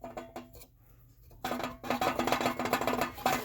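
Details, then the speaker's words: Napoleon GDS50 gas fireplace, relief vent door wiggled by hand: loose irregular tinny rattle two or three taps a second; owner suspects this door moving with airflow, not the blower fan, causes the rattle; fix is new relief-door gasket. "that sounds very much like the rattle I have so it may not be the fan it could be something to do with the pressure and the air in the stove and this thing starting to move with air flowing through it"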